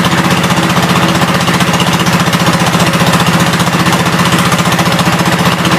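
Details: 1972 Gravely 430 single-cylinder engine running normally after fuel system restored up to the carburetor (small drip at fuel pump inlet): even, steady thumping about three per second, no clatter or knocks; high-low axle works, moves forwards and backwards.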